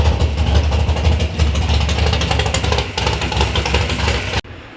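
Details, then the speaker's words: 3rd-gen Camaro big-block Chevy V8 first start-up after build: deep even burble at steady idle, no misses or knocks, then cuts off; healthy fresh engine. "all right guys so we got the car fired up that is a big relief off of my chest"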